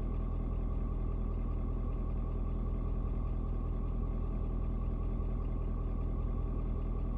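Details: Ford Super Duty 6.7 diesel (Platinum) cold start at 56 degrees, about 11 minutes running, temp gauge still cold: steady, even low rumble with an unchanging beat after a slight rpm drop (owner unsure if block heater turning off); normal diesel idle.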